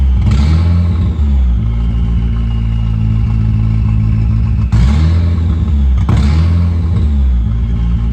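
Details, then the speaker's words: Mitsubishi Expo van with swapped turbo 4G63. Fast steady idle that returns too high after quick blips, even with the idle screw all the way in. Base timing was very advanced, reset to 5 degrees; no vacuum leak found. Cause unknown. "I have the best screw all the way in and if I come out it raises the idle and it when I'm all the way in it's still idling high so I think something is amiss"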